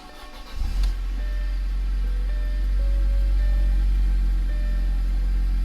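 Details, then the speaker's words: Audi after intake and diverter valve install, with a temporary hardware-store cap fitted: engine starts easily and settles into a deep, smooth, even idle with no stumble or hiss; runs normally. "I mean, that startup was easy. Everything feels good."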